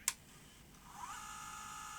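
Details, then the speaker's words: 1989 Sony EVS1000E Hi8 recorder (Sony U-mechanism deck) in rewind after repair: a click, then a faint steady high whir holding even pitch, no grinding noise as before; normal rewind noise. "uh well it's not making the gruning noise I guess it just makes that sort of noise in rewind"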